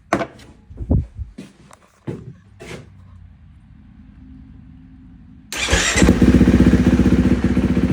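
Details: 2016 KTM 350 SX-F four-stroke, after top-end rebuild and a new starter torque limiter gear replacing a worn one whose slipping clutch plates caused slow crank/no start: a few light clicks, then cranks and fires straight into a steady, even idle; starts and runs healthy.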